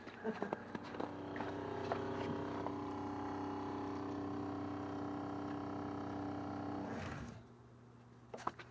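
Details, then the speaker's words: Dometic RV toilet water supply after leak repair: pump gives an even buzzing drone for about six seconds, then cuts out cleanly once the lines pressurize; water pump working normally. "we're pressurized. I was wondering why that pump was taking so long."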